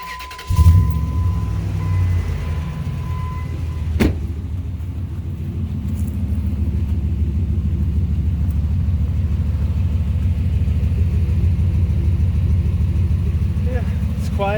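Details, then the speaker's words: 2003 Ram 2500 quad cab long bed, first start after installing a new Flowmaster FlowFX cat-back exhaust to fix a leak at the back of the catalytic converter: steady, even, mild idle rumble, with no more ticking or fumes; normal idle. "mild at idle but best of all no more ticking stinky fumes coming out of that"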